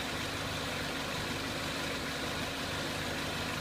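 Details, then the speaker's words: 2003 Renault Clio 1.6 petrol, intermittent stalling traced to a loose crank sensor connector (sensor good): even, steady idle with no misfires, knocks or hunting; normal idle. "You can see the stepper motor kicked in and back to normal. And it's idling quite nicely now, but what we're also going to show you is how to look at this crank sensor a bit better."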